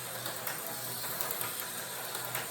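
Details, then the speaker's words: Rebuilt, freshly oiled slot car chassis under a tall square body: a steady light whir of motor and gears with no catching or clicking as it laps; running smoothly, though its magnet is weaker than another chassis. "This could be a real good runner if it had a little bit stronger magnet like that other chassis. It is a good runner right now, but if I was to kick it up, it'll wind up over there in the corner."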